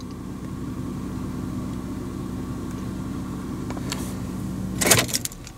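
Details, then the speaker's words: 2008 Hyundai 3.3 V6 with starter already replaced: steady idle hum, then a short harsh metallic grind as the starter engages the running engine, occurring in neutral but not reverse; false start signal from faulty ignition switch. "actually there's that noise right there so if you notice it's making that noise but it doesn't make it in reverse and it makes it in neutral oh that's horrible noise"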